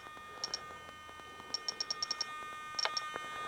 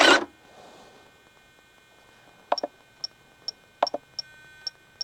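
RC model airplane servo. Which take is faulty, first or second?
first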